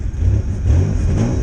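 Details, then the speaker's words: 1993 Ford Ranger 3.0 Vulcan after cheap rebuild with new heads, ignition timing set by ear, uneven compression; deep, slightly uneven note that bogs a little as it revs. Lugging from rough timing and uneven compression. "so she's a little bit a little bit luggy but you know my compressions aren't exactly even either"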